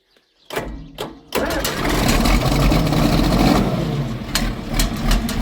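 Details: John Deere 4430 diesel tractor just after replacing a leaking fuel filter, possible air in the fuel: cranks briefly, fires quickly and settles into a steady, even idle with no stumbling; normal start and idle.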